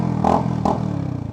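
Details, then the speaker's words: Sinnis Hoodlum 125 single-cylinder motorcycle (11.2 hp) with a cheap aftermarket exhaust, used instead of the Toro system: two quick throttle blips over a deep, steady burble, then an even idle. The exhaust sounds healthy and good. "it sounds pretty good for 30 quid."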